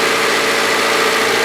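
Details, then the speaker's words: Honda Civic that overheated after hitting a raccoon, after repair: throttle propped at about 2,000 rpm warming until thermostat opens, listening for radiator fans to cycle on reused switch; steady, even hum, no knocks or misses. "I got the throttle prop the about two grand about halfway up on heat or thermostat that opened"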